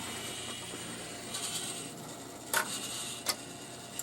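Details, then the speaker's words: Rowe AMI CD100A jukebox after its mechanism control computer smoked: soft motor whir and sharp clicks as the changer shuffles and loads discs. It is replaying stored selections, finding no CD; board error light on. Mechanism cycles normally. "It's trying to play all the CDs that it was trying to play before, that it's been saving in the memory for Lord knows how long."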